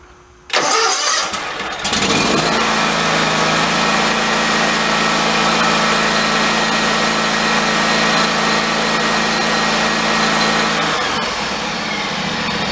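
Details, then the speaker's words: John Deere riding mower after teardown, cleaning mouse debris from cooling fins and reassembly: starts on a little choke and settles to a smooth, even idle, idle speed turned down as low as it goes, no longer hunting or surging. "trying to turn the idle speed down but that's probably low as it wants to go but it's not hunting"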